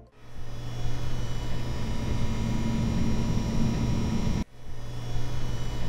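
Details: EVGA RTX 2080 Ti XC Hybrid graphics card at idle: a steady low hum with a faint higher whine, constant and unchanging, heard on a quiet night. This is the water-cooler (AIO) pump noise, compared against an air-cooled card.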